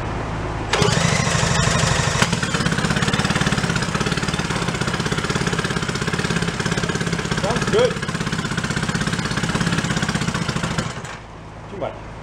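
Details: 1937 Sears Waterwitch 2.5hp two-stroke outboard, 83 years old, revived after decades in a shed, running in water on 30 weight oil mix: fast even buzz holds steady about ten seconds after starting, no stumbles; runs well.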